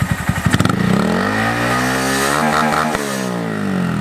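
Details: Honda Monkey with Yoshimura SA-18-K low-volume spark arrestor insert, revved in the shop to the red line and held: muffled, mellow note, no rattles, quieter than the previous insert; normal revving.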